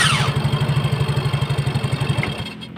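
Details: Yamaha Mio J scooter after its starter motor (dinamo starter) was replaced: fast, even cranking pulses at about nine a second for two seconds, then the starter stops; a healthy crank.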